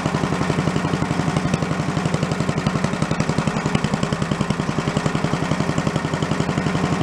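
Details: Commercial walk-behind leaf blower after carburetor repair; it had been flooding itself because the shut-off/needle wasn't shutting off, and the plug may also have been an issue: a fast, even two-stroke putter around 220 per minute, no misses. Normal idle.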